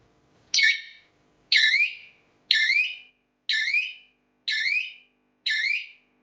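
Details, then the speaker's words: Battery-powered electric fence energizer on a farm fence, its speaker alarm that alerts when an animal touches the wire: six warbling rising siren chirps, about one per second, a sample of the alarm working normally. "आणि कोणतही जनावर चिकटलं की या speaker द्वारे म्हणजे आपल्याला पण alert होतो की कोणतं तरी बाहेर चिपकलाय"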